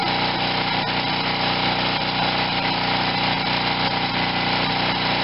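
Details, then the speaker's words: Wen 4050 generator with new carburetor under a 1500 W space-heater load on one side, under half load, output about 60.5–61 Hz after speed-screw adjustment; steady drone holding one speed, no hunting, surging or knocks, running healthy. "i don't even have half a load on the generator yet so under a full load it would go less than this"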